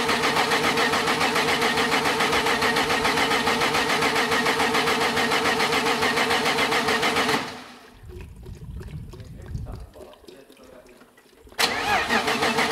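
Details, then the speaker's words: BMW E30 with a freshly built M52 turbo engine on Megasquirt, first start attempt with the battery dying: even starter cranking about 3.5 beats a second, a pause, then more cranking, never firing. It cranks but won't start; fuel pressure is being raised. "Now it should start. Does it move? Doesn't start? Just raising up the fuel pressure."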